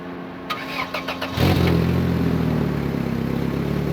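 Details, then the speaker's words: 1995 Toyota Corolla after a flex pipe was fitted where the catalytic converter was missing, fixing a massive exhaust leak: a second of cranking, then a steady, quiet idle with no puffing or ticking from the exhaust. "i think that's much better so much better"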